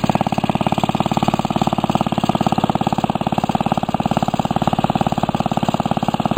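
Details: Restored 1945 Briggs & Stratton Model WMB single-cylinder engine: crisp, even popping at about three beats a second with no misses or rattles; runs healthy.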